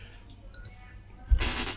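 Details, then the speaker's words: Flea-market EVGA 1000W modular ATX PSU on a current-limiting bulb and ATX tester: two short shrill beeps in a quiet room, power good never came back; only 5V standby running, no other output, fan did not run. "The power good didn't come back. So what's happened with this is it's in standby. The standby 5 volts is up and running, but nothing else is running."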